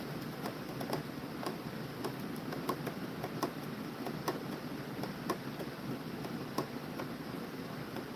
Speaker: wow that doesn't sound right sounds loose